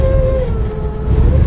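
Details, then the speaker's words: Stale 1986 Lesharo RV V6 conversion, cold, just started and idling on its own: revs sag and climb back within a second as the computer compensates for the drop, a hunting idle. "you can see what it's doing it's kind of up and down on its own the computer is compensating for it dropping"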